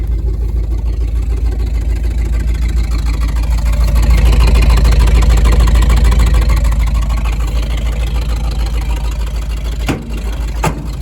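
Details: 1975 Ford F250 with FE 390 V8, 4-speed 4x4, previously seized and sitting 30 years, on mismatched plugs: a deep idle at about three pulses a second, slightly uneven, after running near 1,800 rpm; owner suspects sticky valves.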